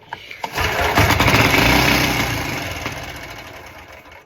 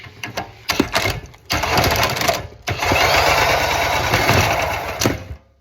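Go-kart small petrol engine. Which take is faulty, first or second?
second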